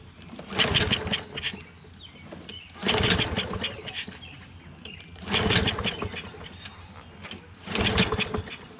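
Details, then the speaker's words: Poulan 22-inch self-propelled mower, Kohler XT675 engine on auto choke, with starting fluid sprayed in: catches about a second per pull, then dies; it has spark and compression but fuel isn't reaching the engine, a carburetor clog suspected. "there we go now so we know it does fire up which means it is getting spark but it doesn't appear that the gas is getting to here because it it won't stay running by itself"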